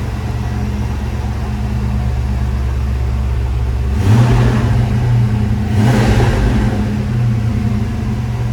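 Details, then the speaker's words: 1995 Ford Mustang GT after fuel pump and/or pressure regulator replacement: steady low idle with two quick throttle blips that rise and settle cleanly, no stumble or misfire; normal healthy idle. "That sounds pretty good. No leaks there. It starts up and idles good now."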